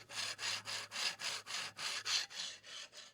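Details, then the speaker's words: 3D printer Y-axis rod with Drylin plastic linear bushings after about 800 print hours, tension just adjusted: dry rasping scrape three to four times a second as the rod slides; bushings are being replaced with factory linear bearings. "it definitely makes noise it definitely makes noise because like with the the aigas in there you wouldn't hear that at all moving that rod"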